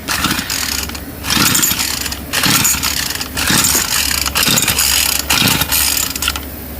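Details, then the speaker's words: Pull-start weed eater with oily buildup inside the case and a carburetor already cleaned about eight times: repeated cord pulls, the engine coughs but never catches; hard no-start, owner suspects the carburetor needs replacing. "my guess is that I have to replace the carburetor because I've I've already cleaned this thing like eight times"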